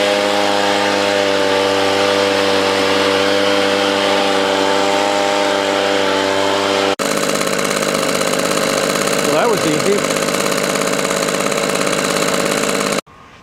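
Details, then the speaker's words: Echo PB 200 two-stroke leaf blower found at the roadside, choke open, running hard: steady busy buzzing drone but top revs seem slightly low. Owner suspects a dirty air filter; primer bulb and fuel line aged. "good it sounds like maybe it could rev a little bit higher maybe that air filter is dirty"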